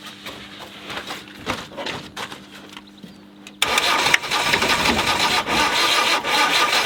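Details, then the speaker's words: Land Rover 90, naturally aspirated diesel not started in eight years, pump off: fast rhythmic starter cranking about four turns a second with occasional knocks as it tries to fire, never catches; batteries going flat, cold snowy weather. "start oh oh my gosh don't seem to be turning over right fast"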